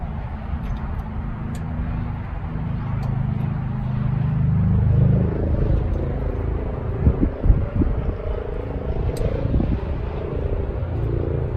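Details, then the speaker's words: Vintage MCI MC5A bus diesel cranked with the rack held off to prime, on 4D batteries. Low heavy cranking rumble with sharp crackles midway as a fireball shot off; bad ground: starter cranking with arcing. "Whoa. Stop. Holy Balls. What? Uh fireball just shot off in here. We got a bad ground."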